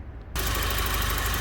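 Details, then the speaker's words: Volvo 940 petrol engine idling steadily with no belt squeal after readjusting tension on all three auxiliary drive belts; the water pump–power steering span had over 1/4 inch slack before. "and as you can hear, it's making no belt squeal now. All 3 have been readjusted."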